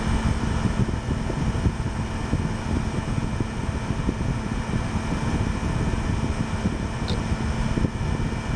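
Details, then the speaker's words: Gateway LP Mini Tower KAD K7-700 (AMD Athlon 700 MHz): steady low whirring hum, constant tone and even airflow hiss, no clicks or grinding. Hard drive and fans running normally. "Okay, just thought I'd do that for all you drive noise fans."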